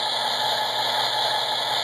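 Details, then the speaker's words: S gauge American Flyer Alco locomotive fitted with an MTH PS2 kit: short steady high-pitched buzz as the electronic coil coupler fires to uncouple, no catching or stutter; coupler actuation, normal operation. "this has a coupler it's electronic coupler I can actually uncouple this thing if you watch that do you hear that noise that's the coupler"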